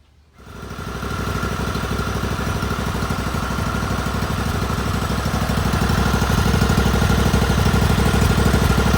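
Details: John Deere LX188 riding mower after carburetor install; a displaced pin in the governor system was pushed back in, and it now starts and settles into a smooth, steady idle with no hunting or surging. Normal idle.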